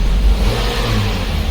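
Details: Kia Sorento that ran on LPG but wouldn't start on petrol, after new fuel filter with plastic lines and new fuel pump: engine catches and revs cleanly with a steady even roar, no misfire; now healthy.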